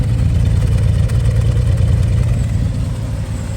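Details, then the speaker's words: 1968 Chevrolet C10 inline six at idle after new tune-up, exhaust downpipe refitted to manifold and exhaust leak fixes, temp gauge working; deep, steady, even rumble with no ticks or misses, still noisier than the old small block; normal healthy idle. "Sounds good. Just a happy little 6."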